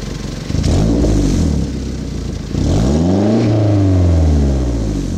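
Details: 1991 Toyota Celica GT Convertible after exhaust leak repair: starts cleanly, settles, revs smoothly and drops back with even tight exhaust note, no puffing or ticking.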